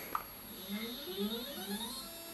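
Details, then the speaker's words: Skywatcher NEQ6 Pro mount after belt mod and worm adjustment, slewing at max rate 9: smooth whirring rising and falling, the declination axis's earlier grinding is gone and it moves smoothly. Normal stepper motor slew. "and choose to be moving smoothly let's try the re-access yep this was the worst axis before all of the grinding noise is gone and everything's moving smoothly"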